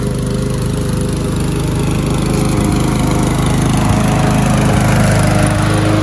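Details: Curb-salvaged MTD walk-behind lawn mower cutting grass after an oil change, with engine speed turned up a bit: steady single-cylinder beat, about 220 pulses a minute, holding speed under cutting load. Runs well; earlier exhaust smoke suspected from tipping and slight oil overfill.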